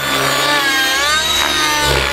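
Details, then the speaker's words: Synergy N5C nitro RC helicopter in flight: high, wavering engine scream, thin and edgy with pitch swinging under rotor load, tick-tocking then crackling; engine running lean. "running lean good smoke trail you can hear it tick-tocking suddenly starts going leans here oh it's crackling and so my engine went lean"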